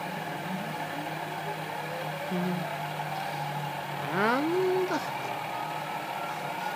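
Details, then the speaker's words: Sieg KX3 CNC mill cutting a logo test piece: thin steady whines sliding up and down in pitch as stepper motors drive the table and head; normal stepper motor noise while milling. "so the whining noise you can hear instantly is the stepper motors which drive the table from side to side and fall back and also the head up and down gently working away to themselves incidentally it is actually supposed to make that noise"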